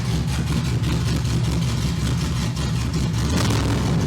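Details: F100 body swapped onto a modern Cadillac chassis, first drive, no current codes, two O2 sensors unplugged: engine runs steadily with a deep even rumble and picks up smoothly with throttle, no stumbling.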